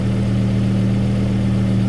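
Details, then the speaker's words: 2009 Volvo S60, 175,000 miles, idling just after replacing the original fuel filter while checking for leaks, none found: a smooth, steady low hum at even pitch with no misses, ticks or stumbles. Normal idle. "the next step is we've got to start the car and make sure this doesn't leak as you can hear the car is running"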